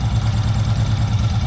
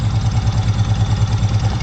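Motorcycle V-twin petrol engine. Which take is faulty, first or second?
second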